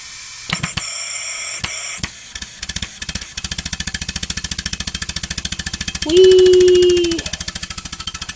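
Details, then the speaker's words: Homemade steam engine run on compressed air from about 50 psi, once ran at 40 psi but now wants 65: quick even puffs, about three and a half a second, with air hissing out between strokes; a fitting leaks as pressure builds. "it's purely pressure at this point because if I build it up it's leaking out of here"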